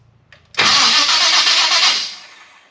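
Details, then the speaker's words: Chevrolet Biscayne, Powermaster starter refitted: short smooth whir about 1.5 s, no grinding or clash; starter engages cleanly. "Okay, hit it. It's not terrible. Mm-mm. I don't hate that."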